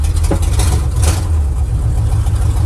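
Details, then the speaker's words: 1979 Chevy truck with misfire and a suspected loose torque converter that usually clunked in gear, worst in reverse: steady low engine drone in drive with no knock or clunk; no driveline clunk. "reverse always seemed to be the worst I don't know why nothing in Drive either it's good"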